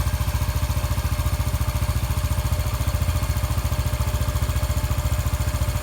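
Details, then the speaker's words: 2013 Honda Biz 125 after connecting rod repair: even single-cylinder idle thump, about three and a half beats a second, steady with no knock; quiet now, revving cleanly without knocking; normal idle. "você visualiza como tu tá bem caladinho tá bem caladinho se você viu anteriormente aí no começo do vídeo como estava E como tá agora bem caladinho de acelerar funcionamento perfeitamente sem bater nada"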